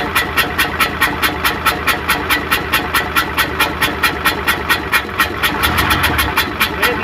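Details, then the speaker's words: Hino Euro diesel truck with smoke and missing complaint, idling after start: sharp even chuff about twice a second, which the mechanic attributes to dirt in the valve seats letting gas leak; exhaust chuffing. "हमने इसमें आवाज आ रही है छुप-छुप की तो अग्रवाल सीटों में कचरा हुआ नॉर्मल"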